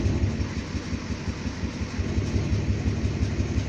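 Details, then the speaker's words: Chevy diesel truck (Dirtymax) idling, check-engine light on, oil about 40–60 psi, water around 100-something, shaking: lumpy low thumping about three times a second that never settles; rough idle, awaiting a replacement engine. "But yeah, she's not running all great. She's not healthy. She's sick."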